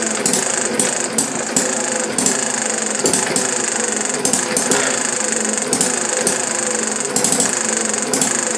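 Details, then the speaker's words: Chinese Banggood model hit-and-miss engine, 6-volt battery ignition, muffler off, flywheel flyweights interrupt intake valve to coast: crisp firing bursts about every half second with quiet coasting gaps; normal hit-and-miss running. "Notice the flyweights expanding on the outer side of the flywheel, and they come up, open up, interrupts the intake valve and lets it coast. I believe on the old engines, the original full-size versions of a hit or miss engine, this was a fuel conservation method."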